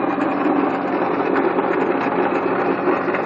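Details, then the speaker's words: 1997 Honda Accord engine running with a loud, dry rattle and rough grinding at the front pulley side, steady regardless of speed; traced to the water pump, bearings probably gone bad. "The problem is the water pump. All that rattling and stuff you heard was the water pump. Bearings probably went bad, and that thing is just terrible, man. It sounds horrible."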